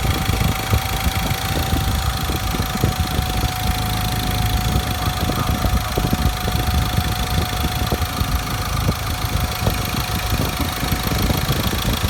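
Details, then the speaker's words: 2.2L Ford Ranger T6 diesel after ECU remap to cure a noise heard on every first morning start: first cold start of the morning, heard from inside the cab with a blip; steady idle, light even clatter, faint hum, no knock; normal idle. "นี่เพิ่งสตาร์ทเครื่องยนต์ตอนเช้าครั้งแรกเลยนะครับนี่ครับอาการเคกไม่มีได้ยินเสียงเลยนะครับหลังจากทำการรีแมปนะครับ"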